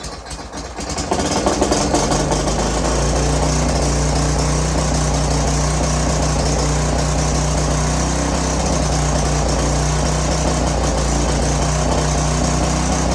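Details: Curb-found greasy string trimmer, small engine with oil added (was low), oil previously in cylinder and intake, fires within a second after brake clean, settling into a steady even drone with no misses, smoking heavily from the oil; runs fine.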